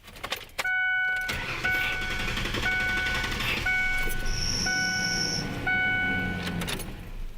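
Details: A high, steady squeal over a running engine, pulsing about once a second, typical of a slipping accessory belt; the owner was told it could be the tensioner or the belt. Cause suspected, not confirmed.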